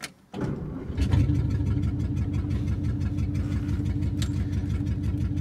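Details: 1954 Meteor flathead Ford V8, first drive in 55 years after fuel pump work: short crank, then it catches at once and settles into an even, steady low rumble with no misses or knocks; normal cold start.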